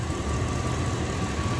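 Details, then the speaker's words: 1999 Dodge Durango SLT, sat since 2009, after exhaust manifold reinstall, plug wires corrected and oil change: steady, even warm idle with no knocks, sounding way better. The earlier noise is put down to old oil and swapped plug wires. "oh it's that there we go ah that sounds way better"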